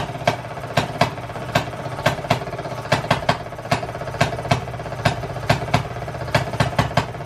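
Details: 1920s Maytag two-stroke hit-and-miss washing machine engine, reportedly rebuilt, first run after 5+ years sitting: irregular sharp firing pops, roughly forty-some a minute, with coasting gaps between; running evenly and healthy.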